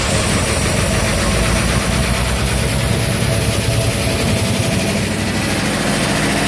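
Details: 1968 Ford Bronco V8, first start in over 10 years after new FiTech Go Street 400 hp EFI install; rumbling steady idle, EFI possibly learning and bringing itself down to low idle, no knocks or misfires; normal idle.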